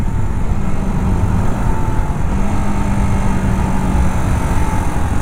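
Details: Modified 2020 Bajaj Pulsar RS200 single, around 20-something km, dead meter (suspected blown fuse), on a test ride: under wind rush the engine holds an even, steady drone with no misses or knocks. Running fine.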